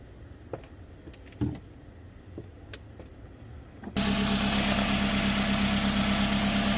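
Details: 2009 Toyota Camry SE started right after an oil change (4.5 quarts) to check for leaks: after quiet handling the engine catches and settles into a smooth, even idle hum with no knocks or ticks. Normal idle, no leaks found.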